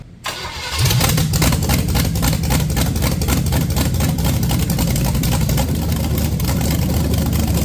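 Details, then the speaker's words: Junkyard-built SBC 350 for 1984 Camaro, hydraulic flat tappet mystery cam, Vortec heads, GM Performance intake, first run on engine stand: brief crank, catches, steady lumpy V8 idle with even exhaust pulses; runs fine, no leaks seen. "Heck yeah. It fired right up. Hopefully it has oil pressure. It runs."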